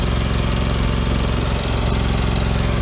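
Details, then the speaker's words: 2000 Allmand TLB-25 mini backhoe, 25 hp Kohler twin-cylinder gas engine, after head gasket replacement: steady, even twin-cylinder thump at idle with no knock or miss; normal idle. "oh we got that engine all straightened out on this the head gaskets on it they're real good now"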